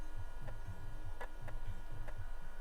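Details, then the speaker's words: 1991 Dell 320n laptop, floppy drive reading an old warehouse floppy: low rhythmic chattering steps, about two or three per second, as the head seeks and reads; floppy drive working normally. "That's the noise I like to hear. I don't know if you can hear it. It's really crunching some numbers."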